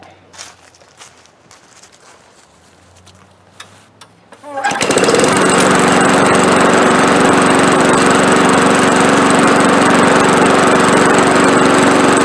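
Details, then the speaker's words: Old push mower with a 5.5 Briggs & Stratton engine that was surging and skipping, fixed by cleaning with carburetor cleaner. After the fix it catches and settles into a steady, even run with no surging or skipping. Running normally. "there you go that's about as good as you can expect a free push mower to run"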